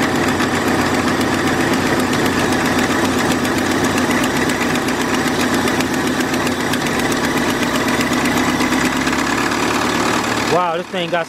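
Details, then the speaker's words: 2002 Kia Optima (P0102 mass air flow circuit low input, stalled when put in drive): after replacing a dry-rotted vacuum line, engine starts and settles into a steady, even idle by itself with no hunting, stumbling or stalling. "the idol is stand by itself"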